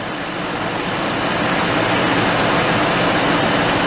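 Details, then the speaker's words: R32 Skyline RB25DE engine idling just after first start on new NP Boosted/Napol ignition coils and harness, fitted for low power under boost: steady, even hiss-heavy idle with no stumbles or misses after the earlier brief start-up miss; normal idle. "So it's running smooth right now."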